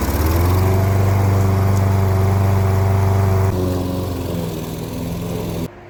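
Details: Toro Recycler 21 push mower with Kohler single-cylinder engine, salvaged, pull cord broken, makeshift oil cap, fresh gas and oil: catches and runs with a steady, even beat, then cuts off; runs normally, though owner suspects overheating.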